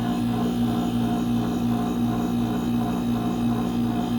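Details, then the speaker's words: Mini split after replacing the capacitor: the compressor runs with a steady even hum, no knocking or cycling, and the lines are icy and sweating; the fan works normally. "Tal vez no se alcance a apreciar en la imagen, pero el equipo ya se escucha perfectamente. No es por falta de gas ni nada, los tubos están helados."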